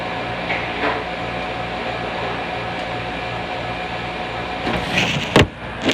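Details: Manitowoc ice machine, phone held close to the compressor: steady low compressor hum with a gentle regular pulse underneath, no knock or rattle, some handling clatter near the end; normal running.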